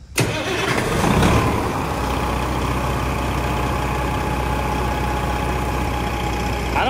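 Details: Truck diesel engine, possibly fire-damaged ECM, started without boost hooked up: cranks and fires at once, brief light rev, then a steady, even idle with no knocks or misses. Healthy start and idle.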